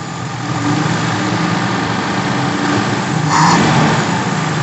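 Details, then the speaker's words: Daihatsu Feroza carburettor engine, complaint of high fuel use, misfire and black plugs: slightly uneven lumpy idle with a blip; the power-jet vacuum hose is disconnected so the power-jet piston stays open, running rich and wasting fuel. "kalau selang ini selang yang untuk power jet gak terpasang itu piston power jetnya nggak nggak bekerja akibatnya membuka terus jadi bensinnya boros"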